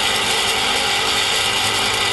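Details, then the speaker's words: Slush machine fan motor: constant dry rasping grind with a fast ratchety chatter and little low end; worn fan motor bearing, from age and dust; turn the machine off and call a technician. "if they do wear like any fan over a period of time and depending on the amount of dust in the air and other factors that affect them if your fan starts to make this"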